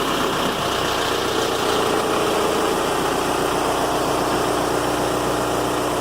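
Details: Volkswagen Golf mk4 TDI diesel idling right after the battery was replaced: the old 5-year-old Bosch battery was sluggish and was swapped for a group 47 Deka with 650 CCA. An even diesel clatter at a steady idle with no stumbling or hunting; normal idle.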